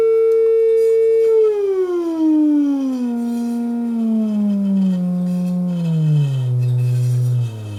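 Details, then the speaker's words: Brand-new Class D amplifier module, defective out of the box, not running hot: test tone steps down in pitch with strong buzzy overtones at each step. Harsh distorted output from defective amplifier. "no heat it's not like it's getting hot or anything but certainly it's not working properly and it sounds like crap"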